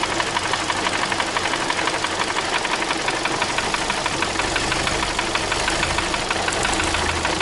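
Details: Idling car engine with light, uneven tapping over a steady hum; source of the ticking is unknown.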